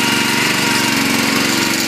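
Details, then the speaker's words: Honda 5.5 single-cylinder on a used log splitter after welding repairs and tank cleanout: steady, even speed, smooth buzz, no misses or knocks; running fine. "but as you can see it's got a honda 5.5 a good running motor"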